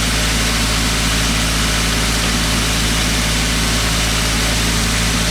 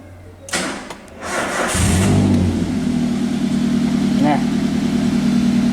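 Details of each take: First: Toyota Avanza EFI engine, complaint of unstable idle, sometimes high, sometimes low; scanner reads over 1000 rpm versus about 900 rpm standard. Steady, even drone noticeably faster than normal idle: idle speed too high, before repair. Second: Toyota Avanza EFI engine after repair, diagnosed by scanner for an unstable idle that was sometimes high, sometimes low. Brief crank, then a steady, even idle with no misfire, knock or tick; check-engine lamp now off, idle back to normal.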